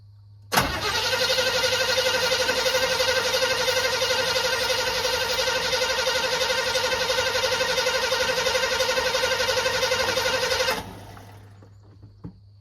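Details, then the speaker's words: 1985 Chevy C20 that sat over 10 years, cranking after throttle pumping. Steady, even cranking at about four turns a second for ten seconds, but it never fires. The owner suspects it is flooded: crank, no start. "What in the heck? I wasn't doing that until y'all started watching. Maybe I flooded it."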